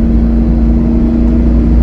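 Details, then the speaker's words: 2002 Camaro Z28 (LS1, 4L80E automatic), driver nearly flooring it from a stop: engine roars steady and high with flaring revs and no upshift, stuck in first; automatic transmission slipping. "this [ __ ] is [ __ ] tripping it's like I got it in first gear and that [ __ ] just won't go past first gear"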